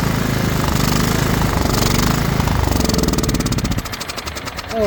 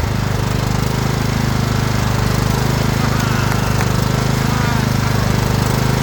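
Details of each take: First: Craftsman LT2000 riding mower, battery dead so jump-started from another tractor, spark confirmed: rapid starter chugging about three and a half beats a second, never catching; cranks but won't start because there is no gas in the tank. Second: Craftsman LT2000 riding mower: single-cylinder engine catches and settles into a steady, even thump with no misses or surging; runs normally.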